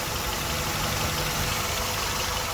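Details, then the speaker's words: 1998 Honda Odyssey with swapped-in JDM F23A engine, after the swap is complete and the high idle is fixed by loosening a tight cruise control cable: even, settled idle with a smooth steady rumble, no knocks or hunting; normal idle. "So there we go. She idles good, no problems."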